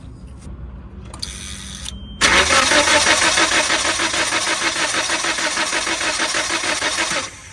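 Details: 1997 Nissan Sentra cranking: steady fast starter churn about three cranks a second, never catches; ignition problem, raw fuel smell present.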